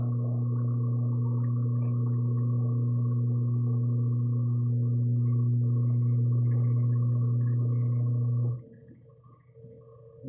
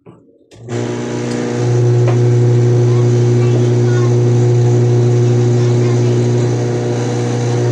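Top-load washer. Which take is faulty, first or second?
first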